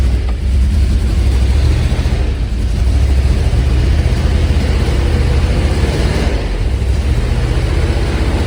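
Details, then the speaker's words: Classic Mk1 Range Rover V8 with cheap new plug leads: lumpy uneven low beat stumbling as revs rise, one cylinder misfiring on throttle; cured by fitting Magnecor plug leads. "you definitely had a cylinder that was missing yeah 100 yeah but we definitely had a cylinder that was not fire you could hear it on throttle up"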